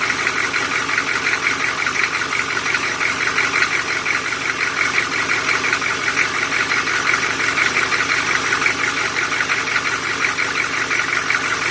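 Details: Old GM 6.2L diesel that sat over 10 years, at idle: sharp, rapid, steady clatter over a hissy engine; weak or stuck injectors with low pop-off pressure advance the timing and turned out to be the cause of the knock.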